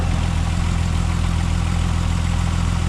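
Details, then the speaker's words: MK4 12v VR6 after water pump replacement: low, smooth, even idle with steady pulse and no marble-like rattle; the earlier water pump noise is gone, normal idle. "Oh, so much better. Before, I'll put a clip right here. If you didn't see the last video, it was literally marbles."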